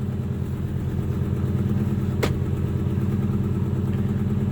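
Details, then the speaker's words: 1995 Acura TL idling during warm-up on a cold day; low, uneven puffing chuff about three or four beats a second with a raspy edge, an annoying exhaust leak. "that warm-up for a little bit that that noise you're hearing is the exhaust that's what's kind of annoying"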